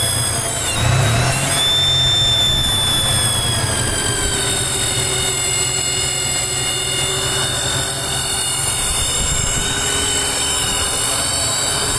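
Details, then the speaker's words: 1995 Chevy S10 TBI petrol engine at operating temperature idles with a high-pitched squeal that goes away on the accelerator and returns at idle; vacuum leak from a bad TBI base gasket, since fixed. "hear that high-pitched squeal goes away whenever I push the accelerator now it comes back"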